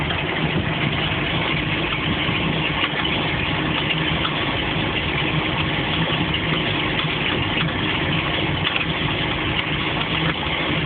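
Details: MerCruiser 7.4 L V8 marine engine idling, starts and runs very well: busy rattly clatter over its low rumble, present even in gear; cause unknown.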